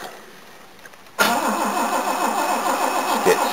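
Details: Mercedes W108 with LPG disconnected, run on petrol for the first time in about six months: a long steady crank at about three beats per second with no catch until fuel is pumped into the dry carburettor, then it runs. The fuel pressure regulator leaks.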